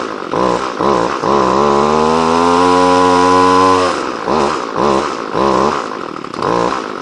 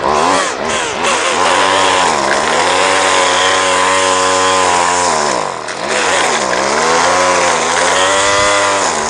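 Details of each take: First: Two-stroke line trimmer (whipper snipper) that was hard to start and wouldn't idle, just started after choke and priming following repair: catches, revs high, then stumbles and surges. The carburetor's high and low mixture screws need readjusting. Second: Two-stroke line trimmer after repair and readjustment of the carburetor's high and low mixture screws, cutting grass: a high buzz dips and recovers cleanly under load with no stumbling. Runs fine.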